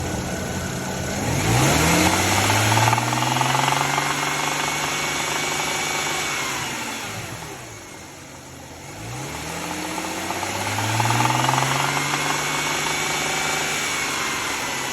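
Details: BMW E93 with N54, just over 100k miles, no check engine light, parked: revved twice, then held around 2500 rpm, where a light metallic rattle/knock appears; absent below 2k and above 3k rpm; owner unsure whether pulleys or lifters.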